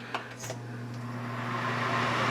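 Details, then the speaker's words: Samsung oven after repair, with fan motors reinstalled to spin the right way: a quiet, smooth, even fan hum with no scraping, rattling or ticking, so it is running normally. "oh don't even hear anything from those fans that's more like it just a fan spinning"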